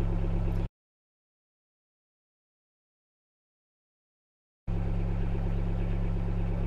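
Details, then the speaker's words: Sherp ATV diesel running after a start from the backup battery, now charging the standard battery: a steady low rumble with an even beat of about four pulses a second. Normal running. "двигатель заработал кнопку отключаем все заряжает заряжается стандартный аккумулятор"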